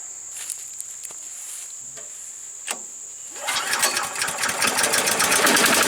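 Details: Earthquake chipper/shredder, small petrol engine, after sharpening the blades: engine picks up load and a dense crackling chew of branches follows; grinding well on light branches, struggles with rock-hard ones.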